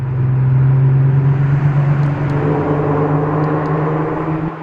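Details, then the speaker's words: Mk5 VW R32, new valved aftermarket exhaust in quiet mode then valve opened, held at about 2400 rpm: deep drone briefly roars then settles, more high-end rasp on top; normal exhaust note, less raspy than the old resonator-deleted factory exhaust. "It like kind of roared for a second, then went away. There's a more high-end rasp to it."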